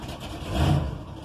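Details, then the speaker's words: 1974 Ford truck with 460 V8, original exhaust manifolds with cracks and exhaust leaks: deep smooth V8 burble swelling briefly with a throttle blip and settling evenly, no knocks or stumble; sounds healthy. "it's got the big 460 v8 one of the things i want to do in the near future is get dual exhaust on it sounds good as it is"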